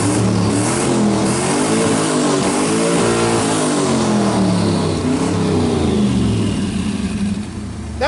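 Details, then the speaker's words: Twin-turbo LS V8 Firebird on Speeduino engine management, hot engine just started: uneven, lumpy note wavering in pitch, stumbling because after-start enrichment isn't dialled in yet. "I got a dial in the after starting Richmond wall it's hot again it's all kinds of tune-up stuff I need to do"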